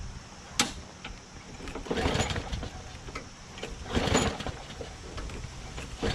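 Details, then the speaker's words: Craftsman push lawn mower: small engine runs with irregular sharp metallic strikes every couple of seconds from below; blade hitting a pushed-in deck baffle, fixed by bending it back with channel locks. "Well, engine starts, but something hit in the bottom there. So I figured out what the sound was. I looked underneath after I heard that sound again, and I looked around the deck to see where the scratched area was, and it's just a baffle that was pushed in a little."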